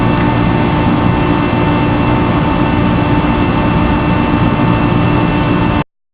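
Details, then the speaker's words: Large ventilation machine recently installed beside the GW Medical Faculty Associates building, recorded at 2:30 a.m. through an opened window: loud unbroken whooshing roar with faint steady hums, running constantly 24/7 for about two weeks. "The machine was placed there for about 2 weeks, and it keeps making noise 24 hours a day, 7 days a week."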